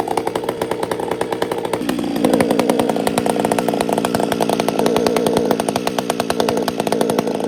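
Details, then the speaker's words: Chainsaw after a major repair, held at full throttle: strong scream with a slight burble at the top rather than a clean scream; high-speed mixture tuned a bit rich, four-stroking. "It's got nice whack, but it's fat at the top. You can feel it. You'll hear it."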